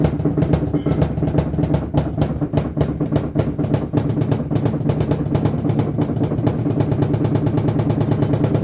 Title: LG washing machine noise, getting worse